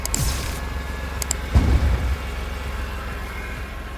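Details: BMW M3 E46 running after a knock was fixed; part of the new conrods was about 1 mm too long and hit the sump, so the sump was ground down with a Dremel. Even, steady engine note with one throttle blip and no knocking; the knock is gone.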